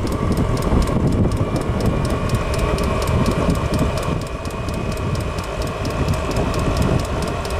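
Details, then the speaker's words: Diesel heater after oven-cleaner cleaning, burning off residue outdoors on a windy day: harsh rough roar with a rapid ticking about three per second, running no better than before and burning mostly outside; cause unconfirmed. Rough roaring combustion. "yeah that's about running as well as it was before making up weird noise burning mostly outside"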